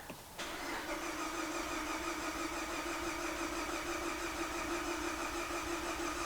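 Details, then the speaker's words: Car with coolant in the oil, said to have a blown head gasket, cranked in clear-flood mode while testing the coolant for combustion gases: steady cranking with even compression beats, none skipped; normal compression and no combustion entering the cooling system. "you can hear the Cadence of the compression is perfectly normal and that's plenty for me there is no combustion entering this cooling system"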